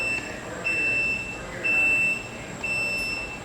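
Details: Solax Transformer automatic folding mobility scooter unfolding via the left side of the rocker switch: steady high beeps about once a second, each roughly half a second long. Normal unfolding warning tone.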